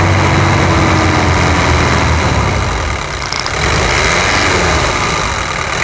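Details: 1997 Toyota SW4 3.0 1KZ-T turbo diesel after full overhaul and engine rebuild, coolant bled: loud, even idle clatter about four pulses a second, no misses or knocks; healthy.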